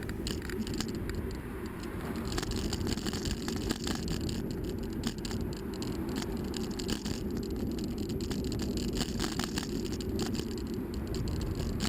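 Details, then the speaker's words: Bicycle ridden over rough pavement: continuous loose clattering and rapid light rattles with wheel rumble underneath; rider wonders about adding foam or a damper; source of the rattle unknown. "Man, listen to that rattling. I wonder if there's a way I could minimize it, like putting some kind of a damper or something."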